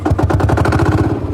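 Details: 1955 Lanz Bulldog D2402 single-cylinder full diesel tractor, just started using the glow plug: loud, rapid, evenly spaced chuffs from an open pipe, steady and unbroken. Normal running.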